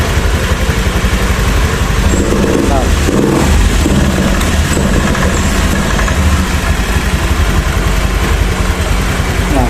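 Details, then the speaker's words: Honda Beat ESP scooter with stumbling under light throttle, no revs and hard starting: runs rough with uneven firing that drops out irregularly, fault returning after tidying up; ECU connector suspected. "Nah setelah sudah saya rapikan terus saya cek ya ternyata untuk si kasus mbetnya dia Timbul lagi ya Muncul"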